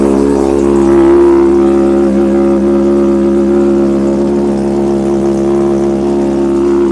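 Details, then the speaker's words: Wrecked 2024 Honda CBR600RR under rebuild, first start after repairs, revved: smooth, even four-cylinder note holding steady at raised revs with no knocks or misses; healthy. "Damn, that sounds good, man."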